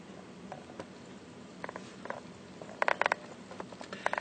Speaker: it is scanning just cancel that folder view there you go the hard drive is working okay